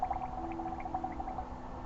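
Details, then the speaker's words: Cooling system being filled slowly from the bottom up after a thermostat replacement, heard with a hose held to the ear. A steady, bubbly gurgle with trickling liquid over a low hum as trapped air is pushed out. "That's just That's it pushing air out now. The catch is you just go slow, take your time cuz it gives it time to push that air out."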